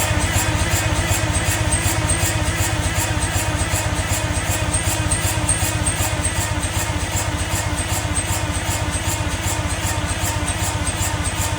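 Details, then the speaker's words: Detroit Diesel 6-71N engine rescued from the scrap yard, being cranked over: a steady chuffing beat with a sharp popping noise, as if something is a bit open. Owner suspects a stuck valve, not confirmed. "watching this back now that popping noise is a lot more apparent in the video I didn't seem to notice that as much when I was actually turning it over but I might have a look and see if it's got a stuck valve or something"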